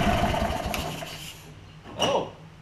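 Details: Kohler Command CH20 V-twin on a Lincoln Ranger 8 welder-generator, fuel pump and lines replaced, before carb cleaning, possible bad gas or water: catches briefly, sputters and fades, coughs once more without running; stumbling failed start.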